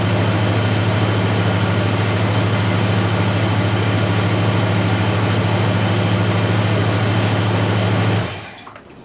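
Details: 1982 Ford Granada with junkyard 351 Windsor V8, carbureted, after a fuel delivery fix with a new electric pump: steady deep rumble at idle holding even for eight seconds before shutdown; normal idle.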